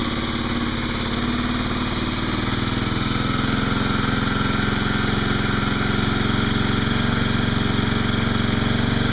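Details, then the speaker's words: Cold start of a Kawasaki KLX250SF at 452 miles, unstarted for a few days, airbox snorkel removed (stock runs lean; owner plans to desmog); rapid, slightly uneven single-cylinder thumping settling into a steady cold idle with a raspy intake note. "so go ahead and do a cold start here hasn't been started in a few days but let you guys hear it without the snarkle on it"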